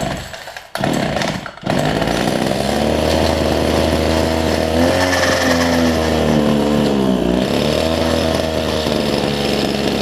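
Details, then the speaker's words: Older Homelite two-stroke hedge trimmer with new fuel lines and primer bulb, after trial adjustment of low/high-speed carb screws: revs up, then wavers and sags in pitch; runs, but carb needs more tuning. "I'll tell you what don't know it runs I'm gonna do a little bit more tuning on this thing"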